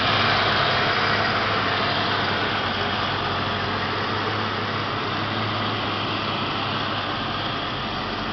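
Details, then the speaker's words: 1988 Ford Mustang GT convertible, 5.0 V8, 4-speed automatic overdrive, about 101,000 miles, original single exhaust: steady even V8 burble, no misses, knocks or ticks; runs very well, normal idle. "i'll turn on the engine so you can hear it there it is runs very well no complaints it has a single exhaust"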